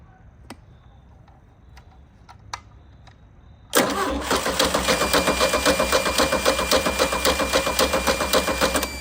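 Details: 1987 MerCruiser 3.0 boat engine being revived, spark restored at the points, jumper wire to positive and fuel poured in: steady starter cranking at about four compression pulses a second, but it never fires.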